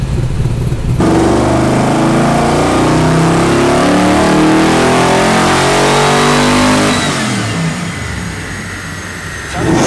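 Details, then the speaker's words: LS1 V8 with a big cam and built heads, dyno full-throttle pull after correcting wrong spark plugs: revs climb cleanly and steadily with no misfire or stumble, then back off. Smooth and strong, timing good, made 365. "But it sounds so smooth now. It sounds really good. So the timing's there."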